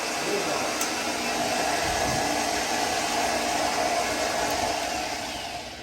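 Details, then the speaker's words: 1995 Ford F150 no-start: a steady high starter whir that never becomes engine cranking, the starter stuck engaged. "well that's not good that's your starter staying on yeah that's not good"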